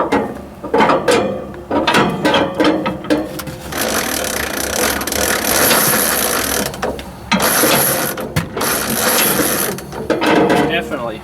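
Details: 1944 Ford 2N tractor with battery ignition, new crank handle, no battery connected: slow, uneven ratcheting and gear-grinding with each pull of the hand crank; possibly the starter gear dragging in the flywheel.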